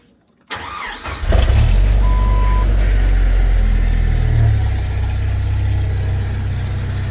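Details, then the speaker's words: Jeep TJ after timing work and bolt install to cure rattles: quick crank, catches cleanly, settles into even low idle with no ticking or chain rattle; quiet and healthy. "And we've pretty much gotten rid of all the rattles. I shall start it."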